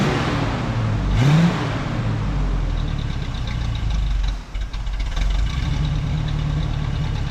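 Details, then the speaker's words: 1967 Camaro V8 after 6 years of neglect: low, uneven idle dipping and surging with a stumble midway. Edelbrock pump pressure suspected, two glass fuel filters fitted; rough idle from a dirty carburetor, to be rebuilt. "running pretty funky. Red is good. And the idle th messed up"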